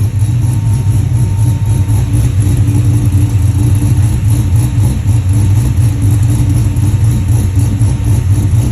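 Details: 1967 Chevelle with a 480 hp LS3 V8: low, lumpy idle with an uneven rhythmic chug at about three or four pulses a second; rough idle, cause not evident.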